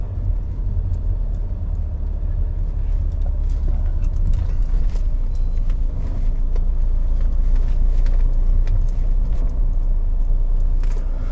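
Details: BMW E60/61 5 Series driving over bumps after the loose strut brace, whose bolts had stripped their threads in the aluminium block, was re-tapped to M10 and bolted in; steady road rumble, no dash creaking.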